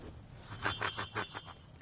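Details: 2006 Chevrolet Trailblazer, about 90-some thousand miles, front hub turned by hand off the vehicle: about six gritty, clicky rasps in two seconds instead of smooth spin; worn front wheel bearing, debris in the hub, felt like ABS activating when braking.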